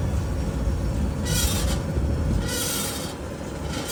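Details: 2022 Ford F150 PowerBoost, about 48,000 miles, with the camera in the right rear wheel well: a harsh metallic scrape repeats about once a second over road rumble, caused by a failed rear axle bolt. Brakes were checked and were fine.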